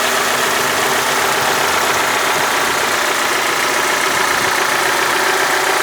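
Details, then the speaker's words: Honda Civic D16 after timing belt and distributor cap work at idle, stock exhaust: steady, even idle with no puffs or skips, previous misfire gone for now. "But now this thing is sounding nice. I don't hear any like puffs or any interrup"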